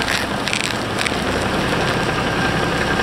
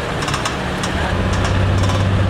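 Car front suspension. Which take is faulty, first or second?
second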